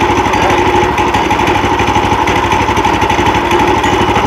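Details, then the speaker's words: New Predator 420cc 13hp engine swapped onto a Harbor Freight sawmill, replacing the 301cc, idling after first key start: steady, even single-cylinder thump with no misses or knocks; healthy normal idle. "sounds like the other one did you make it go warm up did you start it with the key or did you start it by pulling it"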